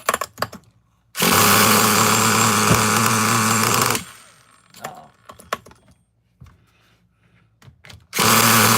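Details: Traxxas Nitro Slash nitro engine on the bench, after a carb screw was set about flush: screams at a steady high rev about three seconds, drops off, refires; owner thinks it is now a little too lean.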